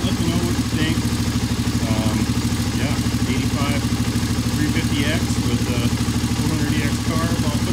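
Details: 1985 Honda ATC 350X single-cylinder, hot, after fitting a 400EX carburetor: steady even idle at about three beats a second, no misses, knocks or hunting; normal idle.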